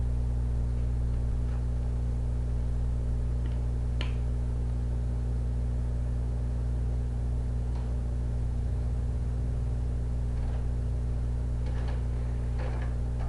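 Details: Xbox with a Fellowship of the Ring disc that has only minor superficial scratches: a steady low hum with scattered faint ticks that never settles as the drive keeps spinning and seeking without loading the game; cause unconfirmed.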